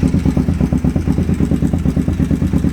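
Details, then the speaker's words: Engine running at idle during carb syncing, listened to with a screwdriver: regular ticking about ten a second, loudest up at the head; slightly loose timing chain bouncing on its adjuster, should resolve as the adjuster advances. "it's clicking more up in here which tells me that the chain's going around and it's actually just bouncing on the adjuster just a little bit"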